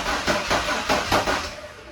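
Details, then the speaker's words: Ford F-150 former plow truck after a junkyard cylinder head swap: slow, lopsided starter cranking with some strokes weaker than others, about three per second, sounding like very low compression; intake later found leaking and nothing sealing. "sounds like it's got really low compression"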